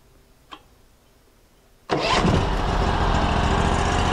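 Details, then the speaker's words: Engine on a new Norwood LumberMax HD38 sawmill, started after choking: a clean start settling into a smooth, steady idle with no misses; the centrifugal clutch isn't engaged, so the blade doesn't spin. "ah listen to that there's a nice smooth idle and the centrifugal clutch is doing its job because the blade is not spinning"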